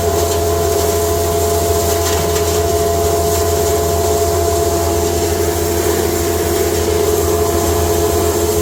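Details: Cattle-feed hammer mill with rotor, first time grinding hay fed slowly through the hay slide into a bag: steady motor hum, constant high whir and soft rush of material. Normal running.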